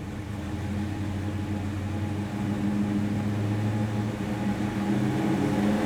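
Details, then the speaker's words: 1973 Plymouth Duster with a 360 Mopar V8, aluminum Pro Comp intake and 833 4-speed manual: deep V8 burble at idle, swelling slightly when blipped, with even firing and no knock or tick. Normal running. "what we're going to do is we're going to drop this down fire it up to hear the engine run"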